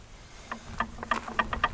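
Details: 1960 Plymouth Fury rear differential during rebuild, with bearing preload set and ring-and-pinion lash adjusted (about 5-8 thou spec mentioned), gears rocked by hand: a few light, crisp, even clicks of modest lash, normal gear backlash.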